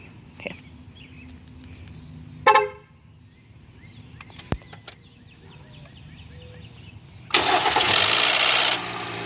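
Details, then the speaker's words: 2012 Hyundai Elantra, 72k miles, cold start by remote start: a short chirp and click, then a loud harsh grinding rasp as the engine catches, with heavy shaking. It also happens on cool starts and uphill acceleration; the starter checked fine. "It's been making a weird grinding noise when I start it up on a cold startup or even if it's just maybe like two notches above completely cold on the startup."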